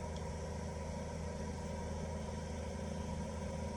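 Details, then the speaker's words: Chinese diesel heater back on factory default settings with new fuel filter, owner suspects fuel pump keeps stopping; steady low fan hum at normal startup, still preheating before pump ticking begins. "Okay, you can see the pump just at the bottom left. That's just popped on. The furnace is ignited, so the glow plug's in. Everything is working as it should."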